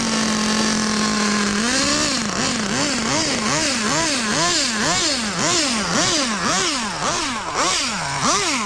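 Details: Budget pro nitro RC engine: crisp high buzz revving up and down about twice a second, clean pickup each time; normal running.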